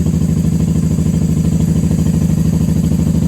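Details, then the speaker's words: 1994 Honda Magna 750 VF750C V4 after fuel line repair and airbox reinstall: steady, even low idle thump about three pulses a second, no misses or knocks; normal idle. "Too much air, too much choke."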